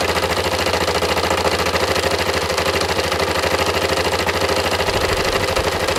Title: engine knocking Yamaha MT03